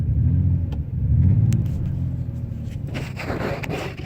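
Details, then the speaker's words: Ford Escape V6 at 26–27 degrees outside idling with a low, uneven rumble that lurches and stumbles, running on 5 cylinders with a cylinder 3 misfire; failed ignition coil, check engine light comes on. "stumbling with the stumbling the next the next indication I should get is a check engine light and that's gonna tell me which coil is bad"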